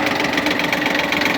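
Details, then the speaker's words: Shibaura P17F Japanese mini tractor, 17 hp three-cylinder diesel, clutch released: steady, even diesel clatter at idle with no knocks or extra noises; engine runs smoothly and cleanly, normal. "Отлично Отлично работает двигатель ровно четко без лишних Шумов каких-то"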